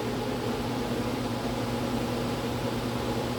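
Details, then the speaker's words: Blower motor on bench test, orange wire (maybe medium/medium-high speed): steady rush of air over low motor hum, lots of wind though not spinning very fast; no rubbing or ticking, healthy. "That's a lot of wind. It's actually not turning that fast. It's just a bunch of wind."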